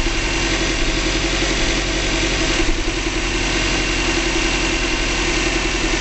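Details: 2005 Subaru Legacy GT, first start after DIY engine rebuild, low on fuel: steady idle with smooth low rumble and faint whirr, no knocks, ticks or misfires; healthy, no leaks found.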